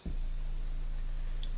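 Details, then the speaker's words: Klipsch ProMedia subwoofer, over 10 years old, after repair of a flapping noise, playing a 28 Hz tone with amp volume around 35: deep, steady, clean bass with no buzz, flap or rattle. "And the answer is exactly the noise that it's supposed to make. Just the bass. Clean bass,"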